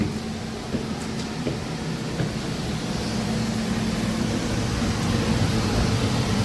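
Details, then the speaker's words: Home air conditioner indoor unit after replacing the failed blower motor and wiring a non-polarized capacitor, first power-on: steady even whoosh of air with smooth motor hum, no rubbing or squeal; new blower healthy, spinning correct direction. "Okay. Here's the moment of truth. Let's turn her on. Yeah, that's a good sound."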